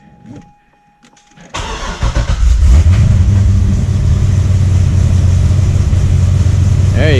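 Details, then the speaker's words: C6 Corvette Z06 V8, first start after heads, cam and intake work and an exhaust leak repair: cranks, catches and settles into a deep, even idle. The earlier ticking and clicking from the exhaust leak is gone. Normal idle. "Usually, or last startup, you can hear a lot of ticking and clicking. That was the exhaust leak. No more here. Yep, nice and quiet."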